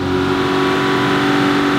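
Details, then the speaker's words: Aston Martin DB9 V12, warm and on a lift, recorded from underneath with rpm raised: smooth, steady, even hum with no ticks or knocks, so the engine sounds healthy at this point. "you can hear there's no abnormal noise"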